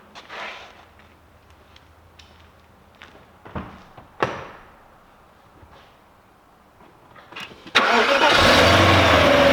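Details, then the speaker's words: Audi S8 4.2 V8 (340 hp) with LPG, after the crank-no-start from a shorted blown front fuse was fixed: quiet clicks, then it catches and settles into a steady even idle; normal idle. "but right now the engine is running smooth, so it's not a problem the LPG to start up."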